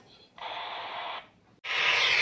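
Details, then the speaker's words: RigExpert AA-230 Zoom analyzer SWR2AIR feature heard through a handheld radio at 100 MHz: short hissy tone bursts with gaps, dipole tuned near 74 MHz and needing shortening. High SWR, mistuned dipole. "okay so this is the antenna and it is right now tuned to somewhere around 74 MHz and we want to tune it to 100 so I have to shorten the dipole length"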